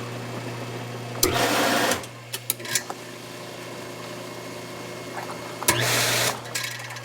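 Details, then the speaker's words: Hot tub circulation pump on a spa whose GFCI breaker trips: a steady, low motor hum, thin and unloaded with no water rush. The pump is air-locked and not moving water. "I can actually hear this pump and tell that it's not moving water has a very distinct sound to it when it's not moving water"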